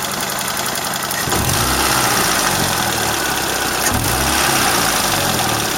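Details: Engine warmed to operating temperature, idling with quick light tick about four times a second over engine hum and noticeable vibration; owner unsure whether a valve ticks or shafts rattle; corrugated pipe leaks slightly.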